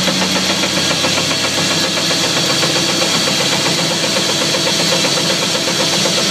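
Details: 2004 Chevy Silverado with a brand-new driveshaft and new U-joints: an irregular knocking clatter, nearly four hits a second, runs over the engine. A driveline clunk whose source isn't yet identified.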